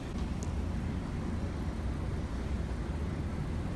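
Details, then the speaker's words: Cummins 330B marine diesel engines aboard a Maxum 4100 SCA, started after 20–30 s glow-grid preheat, idling at about 600–700 rpm with no alarms; steady, deep, even rumble with no knocks or misses — normal idle. "Each of these engines idle at about 600 to 700 RPMs when you're sitting here at the"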